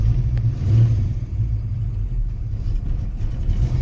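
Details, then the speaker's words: 1967 Ford Mustang V8 being inspected before purchase, cold engine just started: deep, even idle rumble with no knocks or ticks, good oil pressure, may be a little picky initially; normal idle. "She's cold right now. Good oil pressure."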